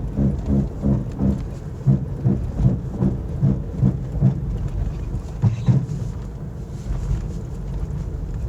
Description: I had to replace both of my wheel bearings in the front. This is what Bad wheel bearings sound like.